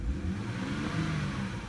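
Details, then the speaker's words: BMW E90 with N52 straight-six, AC compressor bypassed: the rev is now smooth and healthy with an even rising note and no whine. The whine came from the AC compressor pulley's failed bearing, not the belt tensioner or idler pulley. "it was bypassing the AC compressor so when I rev it now you'll hear"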